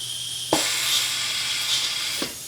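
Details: A Tolomatic pneumatic lift actuator being installed on the PizzaCam animatronic, in its first test: a sharp thump, then a steady hiss of air for under two seconds and a second thump as it strokes; the actuator cycles normally.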